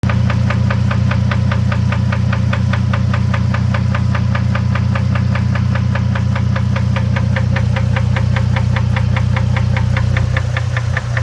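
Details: Engine at idle with steady, sharp knocking about three per second over a low drone; something mechanical inside the engine knocking, source unknown.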